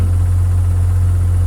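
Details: Warm Mazda 13B rotary with Racing Beat intake and FiTech EFI in an 80-year-old Willys Jeep, decel fuel enabled, idle around 1100 rpm; smooth, deep, steady hum with no misses, surging or ticks, normal warm idle.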